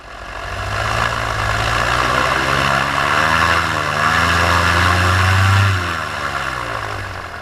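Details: Paramotor in flight just after launch, full fuel tank, motor under an hour of flying time, wide-open throttle: high, even drone with pitch wandering only slightly, no bogging or sputter; healthy before the later failure.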